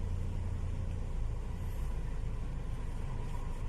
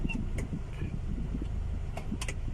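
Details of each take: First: Honda City before repair: low, lumpy idle rumble with uneven pulsing beat; engine shakes and stumbles, violently with AC on; scan tool showed O2 sensor values normal. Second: Honda City after repair of cold-engine shaking and stumbling worse with AC on: idle with AC on and in gear, low steady hum with no shaking or dips; now idles normally and settled.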